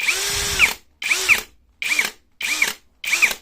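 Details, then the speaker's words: Cordless drill with single-hand chuck lock, run on speed 2: five short bursts, each ending in a rough krek-krek ratcheting crackle as it spins down; absent or faint on speed 1; cause not confirmed. "di sisi lain bor dengan sistem penguncian satu tangan seperti ini ketika kita Nyalakan terlebih di speed du nanti di akhir perputaran akan terdengar suara kasar seperti krek krek krek krek seperti itu coba dengarkan"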